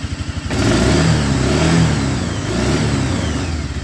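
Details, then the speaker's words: 1996 Arctic Cat Bearcat 454 ATV: the engine revs, then falters and surges instead of holding speed; the ignition cuts out through a faulty brake switch circuit, and looping the unplugged switch connector fixes the revving. "down so it has something to do with that brake switch"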